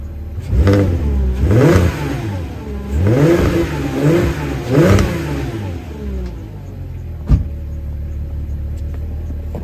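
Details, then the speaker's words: 2006 Porsche Cayenne VR6 3.2 with stock exhaust, before an internal muffler bypass mod: smooth rises and falls with throttle blips, then even idle; quiet, healthy but anemic exhaust note. "I'm going to show you what the stock exhaust sounds like, and then I'm going to explain what we're going to be doing here."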